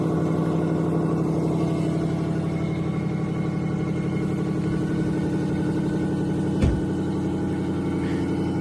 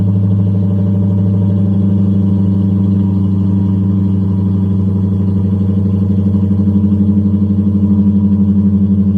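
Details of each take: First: 1994 Lexus LS400, 1UZ-FE V8, 172,000 miles, before repair: idling with a raspy ticking puff over a steady low rumble and one brief thump. Terrible exhaust leak, later fixed, with two mufflers deleted and the other two replaced by Flowmaster Super 10s. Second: 1994 Lexus LS400, 1UZ-FE V8, 172,000 miles, after exhaust leak repair: two of four mufflers deleted, remaining two replaced with Flowmaster Super 10s, tips extended; deep even V8 burble, revved loud, no leak puffing; normal exhaust note.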